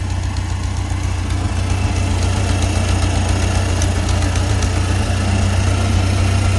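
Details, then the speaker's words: Farmall Cub tractor that had been spitting and sputtering, idling after Seafoam was added to the fuel tank: deep, even low four-cylinder thrum, about four beats a second, no misses; runs smoothly and responsive. "I'm not dissatisfied with how it's running with the seafoam in it pretty responsive"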